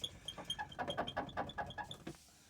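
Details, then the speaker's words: T1N Sprinter van rear door squeaking only while moving: quick run of sharp, high squeaks; source is the middle of the door, with the door cracked inside and a tear near the latch as suspected cause; rear door squeak. "so i've had the squeak just driving me crazy and it only squeaks when i'm moving i found it that's what i hear every day it drives me crazy"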